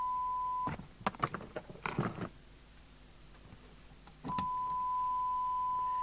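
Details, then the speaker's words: York JCB861 UK FM CB radio (Cybernet 234, 1981, Japan), de-modified back to factory standard, run at 12 V, receiver fed a signal generator at 0.3 microvolt: clean steady ~1 kHz test tone, breaks for clicks and handling, returns steady; receiver audio healthy. "we can already hear that at 3 of a microvolt so I'm going to put it onto the sign ad meter it's it's actually fine"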